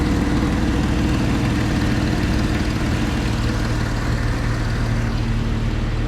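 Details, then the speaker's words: Jeep 4.0L inline-six, model year 2000 or later with split front/rear exhaust manifolds, idling cold: faint quick tick over the low rumble from an exhaust leak where the catalytic converters bolt to the manifold; worse cold, improves as parts expand when warm. "now if you don't know an exhaust leak sounds like it's kind of a ticking sound we'll see if you can hear it in this one it's always going to be worse when it's cold"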